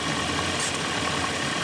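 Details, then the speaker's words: Vacuum-type EGR valve test with vacuum applied by a hand vacuum tester while the engine idles: the rpm drops and the idle turns rough and stumbling, almost like a miss. This shows the EGR valve is working. "okay here we go right away you can hear the RPMs decrease is starting to almost sounds like it's it's missing a little bit and there you go"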